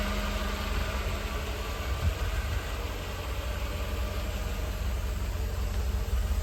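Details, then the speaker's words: 1988 Mercedes-Benz 560 SL V8, 51,705 miles, cold start in 80s evening heat; low steady burble, smooth even idle with no knocks or ticks. Normal idle. "She's already into a smooth idle, considering it is still in the 80s, even though we are getting close to sundown."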